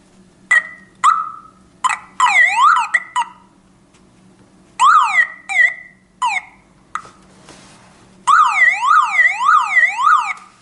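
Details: Removed car alarm siren sounds again in bursts of rising and falling wails and chirps once its black lead is reconnected.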